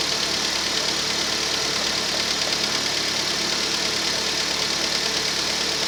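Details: Rover 25 1.4 petrol cold start, normal steady idle with light quick ticking from hydraulic tappets, normal at cold temperature; later slight misfire traced to faulty lambda (O2) sensor.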